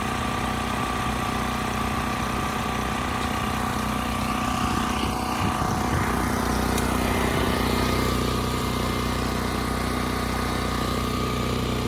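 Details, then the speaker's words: Westinghouse 7,000-watt generator after carburetor cleaning, speed adjusted to 61.5 Hz: steady, even drone, no misses or hunting. Tachometer reads close to 3,700 rpm, agreeing with multimeter; Kill-A-Watt readings deemed faulty; engine not overspeeding. "That was close to 3,700 RPMs, which agrees with the multimeter and what I'm hearing."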